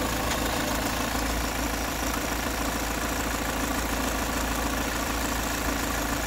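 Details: Peugeot 508 2.0 HDi 163 hp, 2011, 224,000 km diesel: warm idle with thin constant high whistle over clatter; inaudible cold, grows after a few km; owner suspects camshaft-to-camshaft chain.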